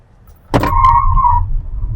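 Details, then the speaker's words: BYD Dolphin EV, one year owned, stock Linglong 17-inch tires, 0–100 km/h launch: sharp steady squeal about a second as front tires spin, then fades; rear felt twitchy, steering tugged. "โหมันมีอาการทสเตียใช่สบันชัดมากเลยแต่ไม่รู้ในกล้องได้ยินเสียงมั้ยมันมีเสียงแบบออีๆๆใช่ไอ้ไม่ใช่วิ่งแล้วกาหมุนอยู่ดยางแตกคาซวยเลยน่ะ"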